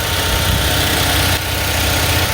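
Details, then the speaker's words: Tow truck after replacing crankshaft position sensor, battery reconnected and computer relearning idle: steady, even idle with smooth low rumble, no misses or knocks; normal idle after repair. "oh yeah hear that folks that's the sound of a purring engine sweet look at that running like a skull dead dog i tell ya"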